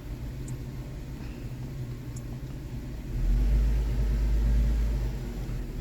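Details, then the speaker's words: Kia Sportage 2.7 with earlier misfires on cylinders 1, 3 and 5 and surging, after repair; low rumble swells evenly under throttle then settles, no surge or hesitation, misfires gone for now; smooth acceleration. "it doesn't have that surge anymore so the misfires are gone or they're not present right now let me just yeah that surge is gone I think that was just the idol but when I accelerate now it doesn't have that blip of hesitation"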